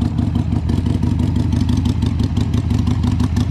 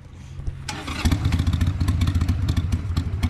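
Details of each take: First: 2002 Harley-Davidson Sportster, cold, with choke, just after carburetor cleaning (fuel and air jets cleared). V-twin thumps along at about three loping beats a second, strong and even with no misses, sounding much better than before: normal running. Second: 2002 Harley-Davidson Sportster after carburetor cleaning, not yet warmed up, just stalled. It catches, then settles into an uneven, loping beat of about 220 pulses a minute that stumbles: rough cold idle. Owner suspects it needs an idle adjustment.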